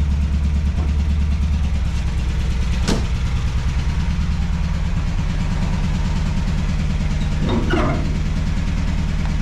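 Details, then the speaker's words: MGB GT classic car with a tired engine (choke won't stay on) idling loudly and roughly: a steady low thrum with a coarse, uneven pulse and no sharp knocks. The owner calls the engine pretty dead and plans an MX5 swap. "uh all here but turn that off cuz it so loud yeah it's pretty dead to this engine so that's why I want to MX5 swap it"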